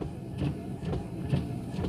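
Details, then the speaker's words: Windshield wipers on fast speed in light drizzle after replacing the wiper blade: soft, even swishes about twice a second, no squeak or chatter; noise fixed. "então eu vou vou tentar mostrar aqui para vocês aqui agora tá só chuviscando pouquinho 1 e eu só vou aumentar aqui a velocidade pessoal não faz mais barulho Tá bom"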